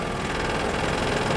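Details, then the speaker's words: Scroll saw running with blade tension set at four: steady even motor hum and light rapid vibration, no rattling or shaking, showing correct blade tension; a loose blade makes it shake and noisy. "don't use a blade that's loose you could tell just by the sound of the saw so if we listen to it now um it's actually pretty"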